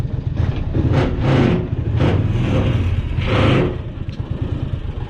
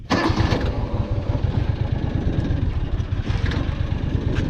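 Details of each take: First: 2002 John Deere Gator utility vehicle idling after start: low steady engine rumble with loose clattery surges about every second; owner says the machine rattles, source unclear, though it runs well. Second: 2002 John Deere Gator utility vehicle starting and idling: quick catch after cranking, then steady low single-cylinder putter with no knocks or misses; owner says it runs really good.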